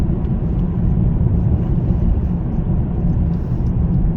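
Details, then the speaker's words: Kia modern car, over 90,000 miles, has towed trailers, foot down in fourth gear: heavy steady drone, revs hang without the car pulling; slipping clutch, car virtually undrivable, recorded before garage clutch replacement. "As you can hear, the clutch is a little bit iffy, and by a little bit iffy I mean the car's virtually undrivable."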